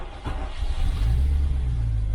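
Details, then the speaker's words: 1995 Range Rover Vogue SE, Rover 3.9 serpentine V8 after top end overhaul, first start of the day, very low fuel: brief odd noise as it catches, then settles to a low steady rumble; source of start-up noise unknown, ignition timing slightly out. "That was a funny noise, wasn't it? When it starts. Fuel gauge should read anything. I wonder what that noise was."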